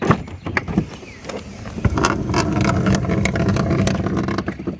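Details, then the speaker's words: 2017–2026 Chrysler Pacifica sliding door: irregular clunks and a gritty rumble as the door travels its track, caused by a worn, flat-spotted, dried-out center roller. The fix is replacing the center roller. "the part is this center roller, and today we're going to show you how to replace it."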